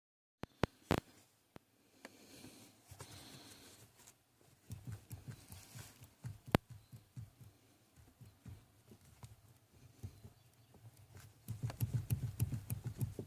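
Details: 2012 Toyota Tacoma: irregular light knocks and clicks, a few per second, with no engine heard; knock inside the steering column.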